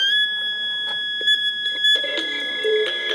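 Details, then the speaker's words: ML Riporter 7A Hungarian mono cassette recorder playing a chromium dioxide tape: steady shrill alarm tone under playback, since the chrome tape hole leaves the no-cassette sensor lever unpressed; false alarm, fixed by covering that hole. "hear the alarm at the same time the tape lays which is kind of crazy so if you want to use a chromium dioxide cassette you'll have to cover up the right portion here of the hole in order to push the sensor lever"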